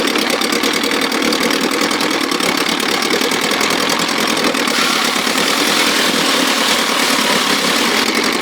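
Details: 1957 Montgomery Ward Sea King 5 hp two-stroke outboard, no fuel pump, gravity-fed from a tank on a ladder, throttle in start position above idle: fast, buzzy crackle holding steady speed without stumbling or dropouts. Running normally and cleanly.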